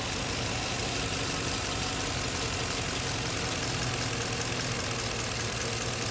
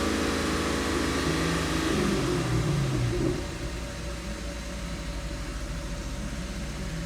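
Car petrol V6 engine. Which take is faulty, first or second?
first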